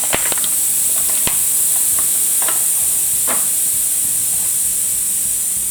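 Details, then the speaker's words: Lawn and garden tire puncture reamed out with the file-like plug tool before inserting a tire plug: a loud, steady, high hiss of escaping air for about six seconds as the tire deflates fast. "now it's really coming out of it yeah now I put a big hole in it skip"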